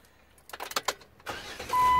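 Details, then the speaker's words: 2007 Jeep Wrangler JK after new alternator, battery, starter and extra ground fixed no-start: a few clicks, brief crank, prompt catch into steady run with dash chime; starts strongly, no warning lights. "Oh, that's a nice sound."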